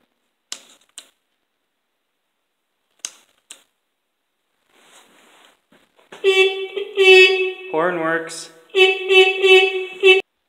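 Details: 1973 Kawasaki S2A 350 two-stroke triple barn find, after working on the ignition switch wiring: a few switch clicks, then a buzzy, nasal horn note in several short blasts; horn works normally.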